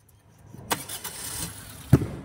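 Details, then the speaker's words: Maruti Suzuki Swift Dzire that would not start normally: with a direct earth wire the starter whirs and the engine catches and settles to a low idle. The cause was wiring cut in the middle of the body, leaving no earth to the starter. "చూడు మనకు direct కొడితే self అయింది."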